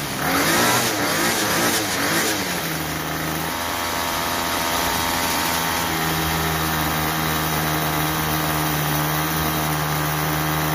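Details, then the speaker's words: Troy-Bilt TB32EC two-stroke trimmer after carburetor idle screw adjustment (previously stalled on trigger, head spun at idle); short rev then steady buzzing idle without stalling, clean throttle pickup: normal idle and throttle response. "so that's pretty close we want our head to stop when we stop giving giving it the gas and then we want it to idle but not stall but not too fast"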